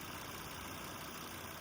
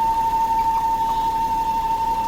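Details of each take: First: Volvo after a makeshift repair of a diaphragm housing, replacement housing on order: smooth, even idle with steady hum and no ticking, hissing or knocking; the previous noise is gone and the engine sounds healthy. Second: Wife's Volvo at idle (stand-in recording of the same noise): steady high whistle near one kilohertz, unchanging pitch; vacuum leak from a torn PCV valve diaphragm in the PCV trap by the oil filter housing.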